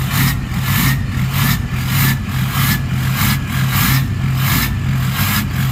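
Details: Ford 6.0 Powerstroke diesel with a new stage 1.5 63.5 mm 10-blade turbo replacing stock: deep rumble rising and falling with revs, with a thin steady high whistle on top. The turbo is spooling normally.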